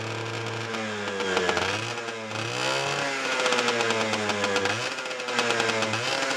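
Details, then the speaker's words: 1990 Honda NS50F two-stroke after sitting eight or nine years, on the old fuel, fired on half a kick with a clean plug: raspy, uneven buzz rising and falling with throttle blips while warming, keeps running; normal two-stroke running. "half a kick and it fired with a clean plug"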